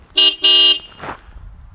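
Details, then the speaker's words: Suzuki Bandit 1200 project motorcycle, pre-purchase inspection: two clear, strong horn blasts with steady bright tone, no rasp or fading; horn works fine. "the horn definitely works"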